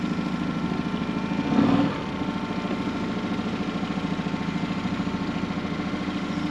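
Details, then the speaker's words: Hood 23 sailboat 'Manumitter' outboard, just repaired after earlier problems, on a shakedown cruise after leaving the wharf: even, steady putter at cruising throttle, no stumbles or surging; running smoothly and healthy. "Much better. And you can see how that was so important that the motor was doing what it's meant to do, because it only takes a little bit of wind here or there, a little bit of a current, and the boat, when it's moving very slowly, is going where the momentum takes it."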